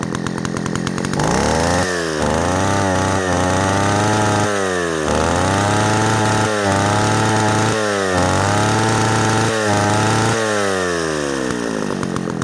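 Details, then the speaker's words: Old Echo 60S Super (CS60S) chainsaw, rarely run: revs surge and sag every second or two instead of holding steady; rough, uneven running, owner suspects carburettor diaphragms not wetted from infrequent use. "it runs probably not the greatest because I don't running enough often enough for the diaphragms to get good and wet before I put it up again but it does run"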